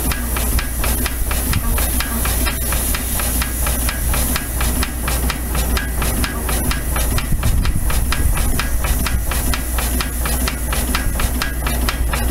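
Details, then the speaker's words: Very rare engine, few in the US: crisp even exhaust chuffs about two a second over steady hiss, no knocks or misses; called a beautiful running engine; normal running. "it sounds beautiful it does it is it is a beautiful running engine"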